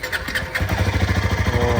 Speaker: ಓ battery ಹೋಗಿ ಹಾಕ್ಸ್ಕೊಂಡಿತ್ತು ಯಾ start ಆಯಿತು.